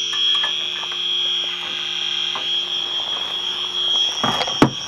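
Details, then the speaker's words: Electronic leak detector at air conditioner evaporator coil, system low on refrigerant: sharp high steady alarm tone with faint clicks; refrigerant leak found behind a line, oil present at the spot; more than one evaporator leak found. "guys we found our leak right here like you're behind the right here behind this line"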